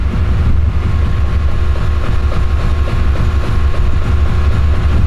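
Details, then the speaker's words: Engine stalling from fuel starvation after fuel was cut before installing a COBB flex fuel sensor on a Series 4: deep, lumpy idle with uneven beat and small surges as it uses up the remaining fuel, then dies. "oh oh i hear it i hear it and oh i think the pressure's good it's eating up all the fuel and there's no more fuel left"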